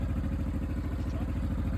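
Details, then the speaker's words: 2011 Honda XL700V Transalp, running outside cold on the choke/idle air control valve: steady even low thumping at raised idle with no knocks or misses. Charging reaches 14 V, so the owner blames a high-resistance connector. "And I'm just looking at there, I'm looking at the actual revs. So it's on the idle air control valve, it's on the choke, the actual choke."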